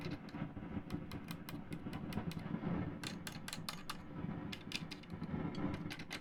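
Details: Vintage Pioneer SX-838 receiver in phono mode, cover off: sharp, irregular crackles and pops over a low hum, flaring as boards are prodded with a non-conductive spudger; a noisy transistor, fixed by substituting a 2N3906 PNP transistor.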